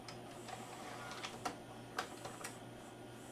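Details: Magnavox ZV427MG9-A DVD-VCR after replacing a shorted capacitor and damaged transistor in the capstan/loading motor supply: light irregular clicks and ticks over a low hum as the cassette loads normally.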